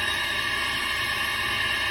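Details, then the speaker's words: 1.5L Honda with cylinder 4 misfire and low compression, leak-down test at top dead center: steady, even hiss of air escaping at the exhaust and into the neighboring cylinder; burned exhaust valve suspected, not confirmed. "can hear it out the intake you can hear it out the uh the old dipstick whatever it is or the exhaust in this case you can also hear it out of the another cylinder the one right next to it"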